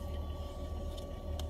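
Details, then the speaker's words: Car with newly added aftermarket 4-channel amplifier and speakers, mic held against speaker at idle: faint steady whine over low hum, turning higher-pitched when stepping on the gas; amplifier/head unit ground noise. "I get old it's like hissing static sound that when I when my radio turns on I want to start the car it's just it's just so annoying"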